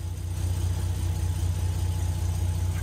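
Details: Nissan GQ Patrol that wouldn't start, running after the distributor power wire was moved to constant ignition power. Low, steady, even idle rumble with no misses; a wire had been smoking. Normal idle.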